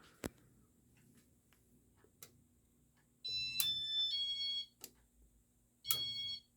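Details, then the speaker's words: 1990s Casablanca San Marino Inteli-Touch 52-inch ceiling fan on a W-11 wall control: a few clicks, then two bursts of multi-tone electronic beeps when switching from speed one to speed two, and the fan cuts out; cause unknown. "turn it up to speed two and there's that annoying turning off thing again"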